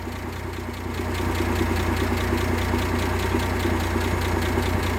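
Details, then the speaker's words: 1958 AMC Rambler Super with Weber carburettor refitted and new distributor cap replacing a faulty original: even, steady idle pulse with no skipped beats, earlier misfire gone. Normal idle. "it's looking really steady to me but before it wasn't looking steady"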